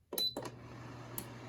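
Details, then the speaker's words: Heat-Wave 800 W motion-sensor ceramic heater switched on, starting on high heat: a couple of sharp relay clicks and a short beep, then the fan kicks on before the heat, settling into a quiet steady hum. Normal start-up. "You can hear the relays clicking. First the fan kicks on, then the heat. It's very quiet."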